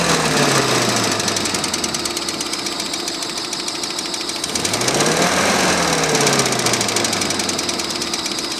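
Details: Engine knock: sharp, fairly regular tapping about three per second over the engine as it revs and settles; internal knock, cause undetermined.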